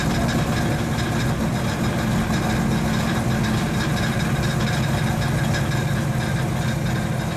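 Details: 1935 Chevy Master with new 409 stroker V8 at first start-up, running in the differential on jack stands: lumpy, even, cammy idle lope with no knocks or ticks; oil pressure and temperature good, so the idle is normal.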